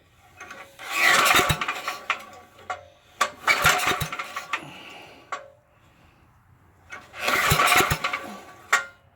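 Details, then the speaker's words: Auction-bought Coleman Powermate 6250 generator with a spark tester fitted: three rasping recoil pulls spin the engine but it never fires, so it cranks without starting; no spark. "ain't getting nothing guys ain't getting nothing"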